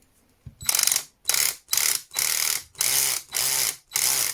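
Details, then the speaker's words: Einhell TC-CD 18/35 Li cordless drill with a mechanical clutch: sharp ratcheting bursts about twice a second as the clutch slips at the set torque. This is normal clutch action. "Good old-fashioned mechanical clutch."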